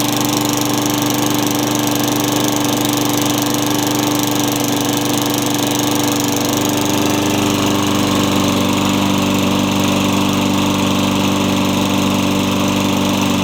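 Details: Craftsman mower with engine swapped in for the blown Tecumseh, running after the kill switch and coil wiring were fixed to restore spark: single-cylinder steady even beat with a slight drop in note midway; healthy.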